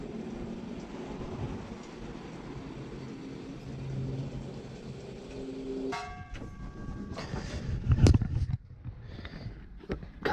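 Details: Noisy, leaking boiler inducer motor before replacement: rough, rumbling drone with a wavering hum, then clatter and knocks. Boiler at 30 psi with water dripping. Noisy inducer motor.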